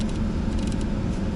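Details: Ford Focus 2 after alternator belt replacement, post-repair test outdoors with high beams, rear and windscreen heaters, AC, heater at full, hazards and wipers on: low even engine hum, no squeal or chirp; belt that squealed under electrical load now quiet.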